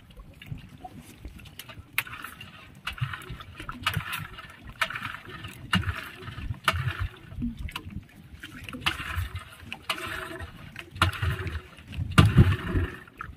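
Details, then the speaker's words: Yamaha 15 hp outboard, good ignition, choked and fuel pumped: cranks but barely fires, sharp sneeze-like hissing spits about once a second from the upper exhaust; hard starting caused by a leaking cylinder head gasket. "Sangat susah hidup. Kemudian di bagian knalpot bagian atas itu ada percikan seperti orang bersin, cis seperti itu bunyinya. Ini menandakan kendala seperti itu, ada kerusakan di bagian packing cock."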